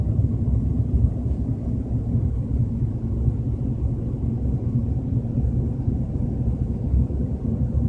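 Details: BMW 320i at 30–40 km/h: constant low droning rumble at steady cruise, no tone or ticking above it; source unclear.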